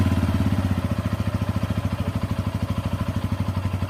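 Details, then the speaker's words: Bajaj Pulsar N160 on first cold start of the day: even thump about twelve times a second with a light clatter riding on it; noise only on first start, gone on restart, cause unknown. "বন্ধুরা, আমার Pulsar N160 বাইকটি দিনের first স্টার্টে engine থেকে একটি অদ্ভুত রকম noise আসে।"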